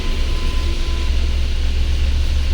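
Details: Mahindra Bolero Power Plus BS6 diesel, DEF no-start warning, running on a jumper battery. Just started, temperature below the 75° needed for DPF regeneration, soot mass 18 g. Steady, even low diesel rumble with no knocks or misses. A normal cold idle.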